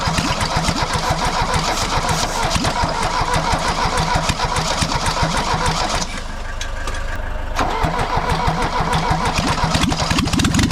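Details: Mercedes W123 200D diesel started for the first time after over 25 years standing, after new fuel lines and filters, refurbished injection pump and timing set to 24° BTDC; it catches straight away and settles into an even, steady clatter with no misfire, starting and idling healthily.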